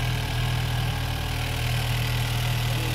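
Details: 2016/2017 Chevy Cruze, direct-injection engine, just fitted with a TurboBay big turbo upgrade, first start: steady, even idle with smooth low hum, no knocks, misses or hissing; excess material burning off, no leaks seen; sounds healthy.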